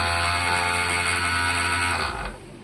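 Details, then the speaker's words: 1977 Bolens G10 electric starter, bench-tested in a vise on jumper cables: steady even high whine about two seconds then clean wind-down, no grinding; spins freely. "Spins like it should."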